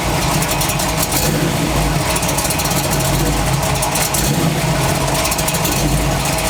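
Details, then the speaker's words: Chevy truck: loud rough running with a harsh scraping noise from the bell housing, engine side only; owner suspects a cracked flexplate, not confirmed, torque converter stayed in position. "i see any contact then i'll know that it's making that ugly sound this new ugly sound and it's only on the engine side and that would kind of lead me to believe that it's torque converter i mean uh flex plate my bad that would lead me to believe that it's flex plate"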